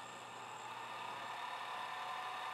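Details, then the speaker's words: Turnigy Accucell-8150 battery charger's 35x35x10mm 12V brushless cooling fan, running in discharge mode: steady raspy high whine and hiss from a dry bearing, worse with the charger tipped vertical; fixed by oiling the bearing (Tri-Flow, then ATF). "this particular unit has a cooling fan usually kicks on using any of the discharge modes and it also seems to kick on with charging and you can kind of hear that fan is really noisy"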